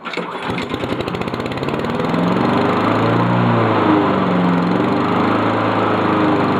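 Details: Honda lawn mower, true cold start just after reassembly: fires after a few pulls and settles into a steady, even single-cylinder putter with no misses or knocks; sounds good.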